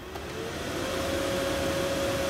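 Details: 2015 Mercedes/Dodge Sprinter 3.0L, AC blower motor after replacing a shorted unit that stayed silent: the new blower spins up into a smooth, steady whirr, its tone rising slightly as it comes to speed; healthy.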